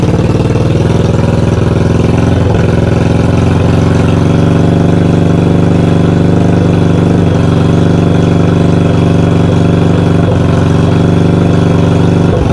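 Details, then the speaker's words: 1982 Yamaha XV920 first start after cafe conversion and rebuild: deep, uneven lumpy idle with very loud exhaust bark, backfiring quite a bit, exhaust not coked and some oil coming out; needs carb tuning, cause not confirmed. "so um yeah she was loud she backfired quite a bit so i've got some tuning to do"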